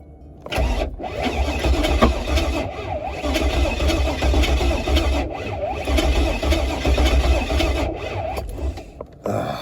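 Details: Pontiac G8 build on a repeated start attempt. The starter churns in uneven bursts about four times a second, the 12-volt feed is being swapped and the fuel pump is running, but the engine never catches. The cause is suspected, not confirmed.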